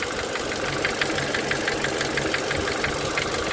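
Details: Renault Megane 2 K4M petrol engine at warm idle: no knock on cold start, sharp regular knock about three a second appears once warmed to +55°C, only at idle, heard clearly from below near cylinders 3–4; oil change didn't help, owner suspects connecting-rod bearings.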